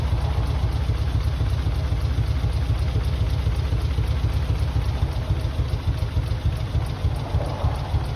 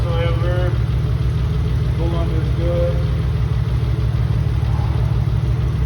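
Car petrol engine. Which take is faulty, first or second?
first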